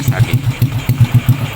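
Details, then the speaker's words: Honda Supra X 125 after valve clearance adjustment to cure tek-tek tick: even single-cylinder thump about eight beats a second with no sharp valve tick on top; normal idle. "Suaranya sudah disesuaikan, bro. Ayo kita mulai , bro. Kemungkinan besar performanya akan lebih baik lagi, bro."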